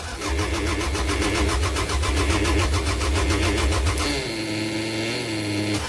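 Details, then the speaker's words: 1998 Toyota Camry no-start after cleaning the fuel tank and fitting a fuel pump, with a small fuel leak: steady cranking at about four beats a second with uneven spitting fire that never catches. Spark is confirmed present; cranks but won't run. "yeah as you can see she's spitting every bit so hopefully the characters off try it"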